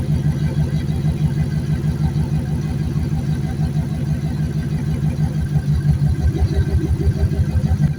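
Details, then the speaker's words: Junked Dodge Dakota V8 parts truck, first run after sitting, idling to seat rings before any revving: steady low V8 idle, even slightly loping pulse about three beats a second, settling as it warms; normal warm-up idle. "The longer it idles, the better it runs. I want to just let it idle so that way it can uh uh that way it can uh seat those rings and stuff like that before I rev it or anything."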